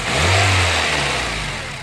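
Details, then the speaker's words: 2009 Honda Civic EX with a new aftermarket AC compressor: with AC switched off the engine revs up and settles cleanly, no scraping, grinding or whining; with AC on the compressor clutch grinds loudly. "you can see there's no scratching noise whining noise or anything"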